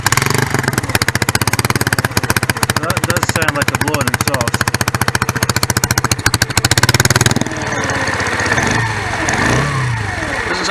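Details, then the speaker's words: Lexmoto ZSB 125 motorcycle at idle, EGR port opened for a blanking test against a blowing-exhaust-like resonance at 45-55 mph: sharp, even puffs about 220 a minute, like a blown exhaust, from the open EGR port; blanking brought no improvement. "a blown exhaust now so uh right we'll start it again very much like a blowing exhaust"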